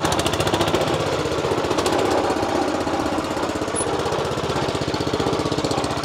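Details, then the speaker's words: Mini tractor with a small 4–5 HP single-cylinder pull-start engine, running after a repair: steady, even, quick chugging beat as it pulls forward, no misses; normal running. "हे बघा finally आपला tractor चालू झाला. 280 रुपये गेले, त्याचं काही वाईट वाटत नाही, तो चालू झाला हे महत्त्वाचं आहे."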